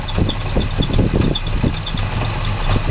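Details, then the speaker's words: Classic Chevy C10 pickup sat about five years, previously reported knocking, idling rough just after first start: low rumble with rapid uneven knocking from front; fan pulley appears out of alignment, belt or pulley suspected, unconfirmed. "it's idling rough let's check it out yeah okay I do hear a noise something in the bottom in it sounds like fuel pump pumping walking going on there on the front of that fan"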